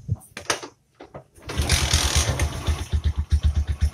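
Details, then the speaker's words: Bajaj Boxer motorcycle first start after replacing the worn-out clutch bearing (number 628) that caused clutch noise and play; it fires after a few handling clunks and settles into an even thump about four per second, a healthy idle with no clutch rattle. "है start हो चुका है ऐसा आपको एक minute या बा दो मिनट रखना पड़ेगा न्यू इजन यल है और कुछ भी आपको रेस नहीं देना है"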